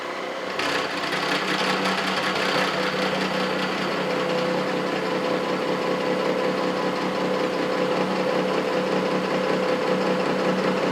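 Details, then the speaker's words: Face mill cutting a Vulcan steam locomotive valve yoke: steady cutting chatter with a pulsing beat each revolution and a faint ringing tone. One tooth sounds like it is cutting heavier than the others; operator suspects mis-set inserts. "happens it didn't do too bad sounds like I got one tooth cutting heavier than than the others on this thing I might need to look at my cutter make sure I got all my my inserts set right"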